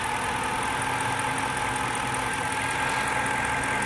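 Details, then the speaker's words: 2006 Dodge Charger R/T, brand-new replacement engine with 3,500 miles, at idle: constant hum over steady idle, also heard accelerating from stop; a bolt found missing under engine cover; source unknown. "but i woke up this morning and i heard a humming noise and when i drive i hear it as i'm taking off do it again babe there's a humming noise"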